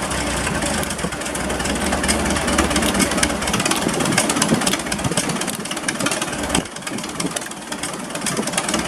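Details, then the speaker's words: Massey Harris 44 tractor, first start after sitting seven years, points filed, weak spark from corrosion: uneven, lumpy idle with irregular beat under constant fan hiss; runs slightly rough, expected to smooth out with fresh fuel. "running just a little bit a little bit rough but um five eight gallons ten gallons of gas through a little bit brings up and down the road"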